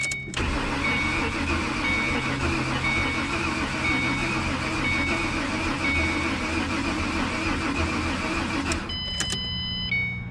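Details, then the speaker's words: 2007 Ford Mustang V6, accident-totaled and being revived: long, steady crank with starter fluid sprayed, engine spits but never catches; fuel pump later heard working, owner suspected a bad fuel pump; cranks but won't start. "I think we're going to get it it it's wanting to start you hear it kind of spitting it's it's going to come give me a second"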